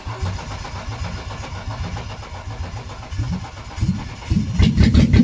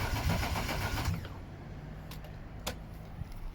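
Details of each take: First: BMW E36 Coupe, first start of freshly installed M52B28 2.8 six from a Z3 after refitting the fuel pump relay: steady cranking about four seconds, then it catches and settles into an even, strong idle. Normal engine start. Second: BMW E36 Coupe with freshly installed M52B28 2.8 six from a Z3, cranking with the fuel pump relay deliberately removed to build oil pressure first: about a second of steady, even cranking with no catch, then quiet. Crank, no start, no fuel.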